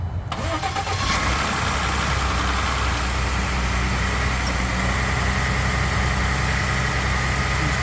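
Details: 2018 Ford F150 2.7L after water pump replacement, jump-started from a dead battery (no-crank): brief crank catches within a second, settles to smooth steady idle, no misses or rattles; alternator charging 14.2 V, healthy start.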